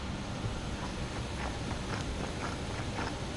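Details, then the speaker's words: Subaru wheel bearing, removed from the car and rotated by hand, gives gritty, uneven crunching, clicking and grinding from worn races; the bearing is due for replacement. "Can hear that noise in there, how bad that is."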